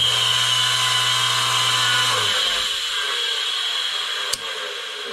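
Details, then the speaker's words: About 20-year-old 2.5 hp air compressor started in extreme cold: loud, steady piercing squeal traced, with the belt removed, to the electric motor rather than the compressor pump. "So that's quite the annoying noise. So I tried to separate whether it was the compressor or the motor. So I took the belt off, and as you can see, that's the motor, which is what I figured just by the sound of it as well."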